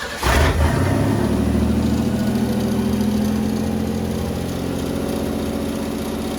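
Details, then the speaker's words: Willys Jeep CJ5 with swapped Chevy 4.3L V6, freshly started with exhaust not fully hooked up: catches and settles into a fast, loud, steady high idle; owner suspects it is only high because the engine is cold. "I don't know why it's idle up so [Music] much it's loud because we don't have the exhaust it's hooked up the rest of the way have so hopefully the engine's just cold that's why it's out a look so much"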